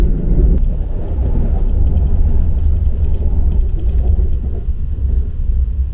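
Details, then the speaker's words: Korean ITX-MAUM electric train, Seoul to Daejeon, heard in a motored car for comparison with the quieter unmotored end cars: steady low rumble with a smooth even drone, no knocks or scraping. Normal traction motor noise. "Faatusatusa le pisapisao i isi taavale! [O le pisapisao lea o taavale ma afi.]"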